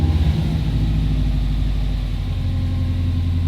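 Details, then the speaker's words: Budget JDM Subaru WRX wagon, EJ205, about 20 years old, at operating temperature after coolant burping: throttle blipped and idle stays high with a smooth steady hum that never settles. "I'm gonna go ahead and flip the throttle see what happens yeah it's staying High foreign so high"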